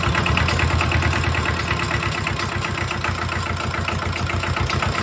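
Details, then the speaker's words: Mitsubishi D1800 II diesel after cylinder head replacement, valve clearance 0.015 in, at part (about half) throttle with exhaust stack and muffler: steady even clatter, no misses or knocks; running fine. "We're at part throttle. We're gonna fire it up again. See how she runs with a muffler."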